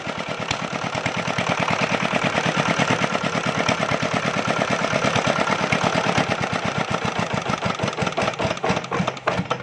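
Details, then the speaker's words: Chinese JD 8 hp single-cylinder diesel generator with a starting problem, after fuel line fittings tightened and injector nozzle working again: fires up into a fast, even knocking beat around three per second; starts and runs properly. "जी दोस्तों, ये generator start हो गया है।"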